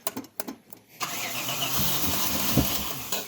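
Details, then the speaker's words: 1994 Chevrolet Impala SS, not started for at least 5 years, 20 liters of fresh gasoline added and some poured down the intake throat; about a second of uneven cranking, then it catches roughly on throttle: hard starting. "We poured 20 liters of fresh gasoline in the tank and a little bit down the intake throat to try and get it going."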